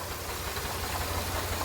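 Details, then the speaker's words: 2007 Grand Prix after ICM and harness replacement, still throwing crank sensor and EGR codes. A steady idle with a rough, rapid knocking undertone: an abnormal internal engine noise, cause not pinned down. "kind of sounds like it's the power steering pump though something inside this engine does not sound healthy"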